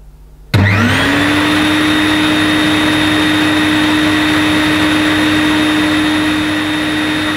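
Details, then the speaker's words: New-in-box Electrolux Masterlux 3-in-1 wet-and-dry vacuum, stored about two years, first switch-on: suction motor spins up quickly to a steady, even, relatively quiet whine with no rattle or wavering; running healthy. "sounds okay it's relatively quiet for a wet and dry"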